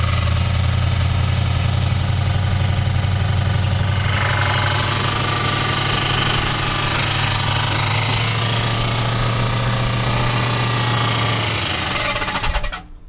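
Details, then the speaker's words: 1964 Chevrolet Impala after 40 years sitting, on a high choke idle with no coolant and possibly in gear: fast, heavy, uneven knocking about four times a second. A rod knock is suspected but not confirmed. "might sound like a rod knock. It's idling really high, probably because of the there's no coolant, and also the choke was on, so it'll be running on choke idle."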